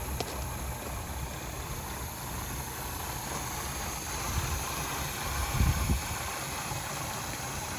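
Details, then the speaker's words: 1977 Pontiac Grand Prix, abandoned non-runner revived: quiet, soft, even idle at slightly raised speed before checking transmission fluid; engine sounds healthy, called a runner. "Yeah. That is so quiet."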